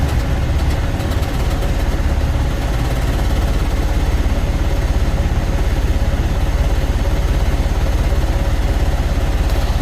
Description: IN THE CASE OF THIS CUMMINS ISX15 ENGINE THERE WAS A MISSFIRE ON THE 3 REAR CYLINDER, COMPRESSION WAS LEAKING STRAIGHT OUT AND THIS PROBLEM WAS CAUSED BY A DAMAGE CYLINDER HEAD.